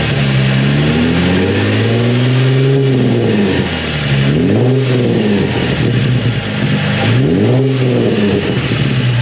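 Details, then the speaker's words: Nissan 350Z with Tomei exhaust after repair of broken exhaust: three clean revs rising and falling smoothly, slight burble on lift-off attributed to back pressure, no puffing or ticking leaks; healthy exhaust. "Sounds good. I kind of hear it. Sounds a bit queasy at the end, but that's just the end of the exhaust, yeah."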